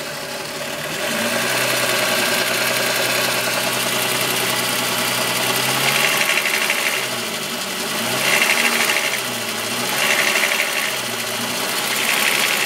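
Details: VW Golf VR6 2.9, 103,000 km, steady idle: fast metallic chattering rattle from the engine front, surging and easing in slow swells. Chain-rub noise grew louder after the upper hydraulic tensioner screw was replaced; cause unconfirmed.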